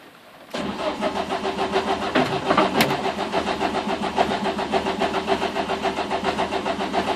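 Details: Renault Clio phase 1 track car after a jump start with leads hooked up incorrectly: starter cranks steadily at about 3.5 turns per second but the engine never catches. Cranks, no start.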